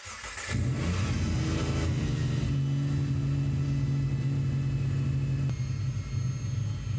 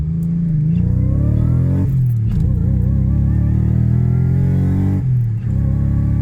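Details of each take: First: Supercharged Subaru Legacy, first start: steady idle with a thin, high whistle on top. A vacuum leak at intake flange homemade gaskets, not supercharger whine, possibly a flange warped in welding; later sealed with RTV. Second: Subaru Legacy with a junkyard Eaton M90 supercharger (originally from GM cars), first drive after the fueling was sorted: strong, even engine drone rising through the gears with a faint climbing whine; runs clean but only makes 3 psi of boost.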